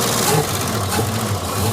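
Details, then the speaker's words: 1971 Plymouth Satellite 383 big-block farm find, revived with two quarts of automatic transmission fluid added to the oil: even idle with a light quick ticking that follows engine speed; sticky hydraulic lifter clatter. "ready to fire it up again wow it runs pretty good except for the lifter"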